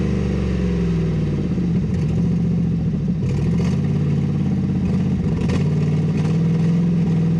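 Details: 6.0 LS V8 Silverado with an NV4500 manual, sat 12 years, stripped of parts and with a blown clutch: a loud, raspy, open exhaust bark with uneven puffing and a wandering idle, because the exhaust is ripped off at the manifold.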